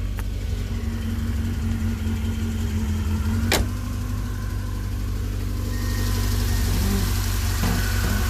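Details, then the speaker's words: 1980 Fiat X1/9 warm at about 190–200 degrees, idling slightly fast: steady, smooth low hum with no knocks, ticks or slapping; normal warm idle while checking why the timing belt keeps jumping off. "now it's about 190 200 degrees let it idle idle's a little fast"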